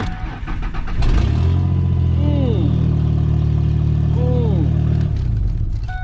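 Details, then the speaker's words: Vehicle with check engine light, started at a salvage auction: loud, deep, blatty rumble far above normal, as if missing the entire exhaust system; loud exhaust. "engine light and it sounds like it's missing the entire exhaust system oh 2005 GMC diesel"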